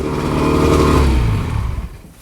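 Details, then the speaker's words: Roughly 50-year-old OMC 50 two-stroke outboard, run on ear muffs after 5+ years of storage, warm-up lever down, not pumping water: revs high and busy, then sags and fades. High idle; owner attributes it to jetting being off with the exhaust out of water. "That's with the warm-up lever down. She idles a bit up, but let's see if she actually pumps water."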